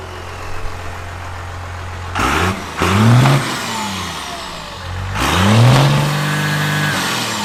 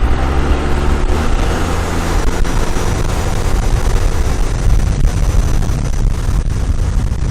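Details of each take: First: 12-valve diesel with modified fuel plate, first start after the mod: steady idle blipped twice, revving cleanly and returning to idle without running away; smoke not much more than before. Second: 12-valve diesel after fuel plate mod, driving with the intercooler boot popped off; deep heavy drone under throttle with no turbo whistle and sluggish pull, a boost leak.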